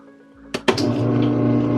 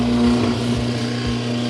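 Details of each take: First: Whirlpool direct-drive washer that would not agitate or spin but drained, after motor coupling replacement: a couple of clicks, then a steady even motor hum with no grinding; now spinning properly, brake hits hard. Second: Whirlpool direct-drive washer in spin mode, drains but won't agitate or spin: steady motor hum with no drum or agitator churn underneath as the motor spins freely; broken motor coupling between motor and transmission.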